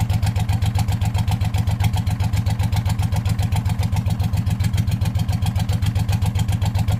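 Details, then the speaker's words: Hot rod tractor race mower go-kart idling with the hood off: fast sharp ticking on each firing pulse over a steady low idle, a known exhaust leak, slightly knocky. "I don't often hear it with the hood off so of course I found an exhaust leak which I already knew was there"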